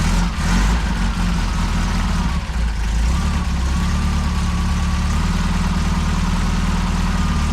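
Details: Saab Sonett with engine just reinstalled, after correcting the distributor 180 degrees: deep, steady, even idle with no misses or knocks. The timing is now right; smoke is from the header paint curing.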